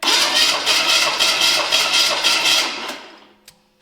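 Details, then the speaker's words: Small block Chevy V8 stored for years, cranking during compression check; strong, even beats about four per second, every stroke equally firm, compression sounds strong. "Oh, guys, that's a pretty good compression, don't you think? Holy crap."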